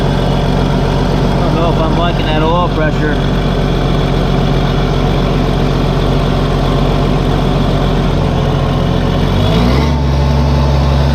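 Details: Case 1450B dozer with a freshly rebuilt diesel engine, just started after reassembly: steady, even idle with a smooth low drone that steps up briefly near the end. Oil pressure is rising toward 40 psi on a mechanical gauge, and the idle is healthy.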